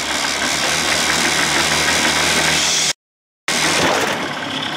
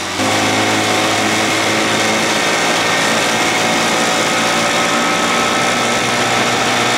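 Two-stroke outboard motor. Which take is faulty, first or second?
first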